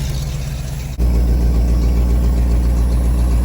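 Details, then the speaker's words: 1991 Ford F250 V8, after sitting: steady even idle after a brief catch, some exhaust-leak puff from leaking muffler and rotting pipe; now running on fresh fuel, owner suspects old fuel was the issue. "That's idling pretty well. I say it's got down to the fresh fuel by now."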